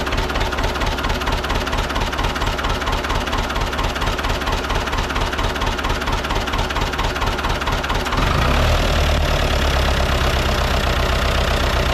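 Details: Ford 6600 diesel tractor, sitting about 8 years, just started after starting-fluid spray bursts while cranking; low on antifreeze so run briefly, some smoke. Steady diesel clatter about two beats a second, deepening slightly near the end: normal idle.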